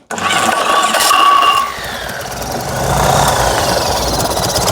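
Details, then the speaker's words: Fiat 126p (Maluch) engine on 92% denatured alcohol instead of petrol, low compression after new rings: catches after brief crank, then runs rough, surging and dipping, barely idling and sputtering. "Ale co nie za bardzo PR chodzi nachy Zobaczcie tutaj jak prycha"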